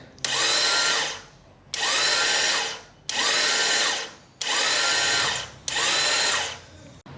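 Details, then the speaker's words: Royal Enfield Classic 350 with starting problem: five short high-pitched starter whirs, engine never catches; starter spins without engaging due to worn sprag (one-way starter) clutch, fixed by replacement. "So you can hear the starter is wearing. But it is not giving power to the starter clutch."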